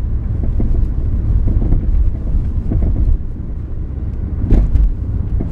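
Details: 2000 Ford Focus on a very bumpy road at night, camera on the seat, loudest over the roughest patch: dull low thuds through road rumble. Owner first suspected struts; worn sway bar end links were the cause, and replacing them fixed it.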